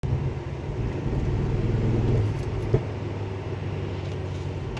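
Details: Ford Focus ST mk2 misfiring under heavy load, OBD code P0300 multiple misfire, cylinder 1: uneven stumbling rumble with stuttering beat; bad coil 1 and spark plugs, fixed with Bosch coil and Denso IKH22 plugs.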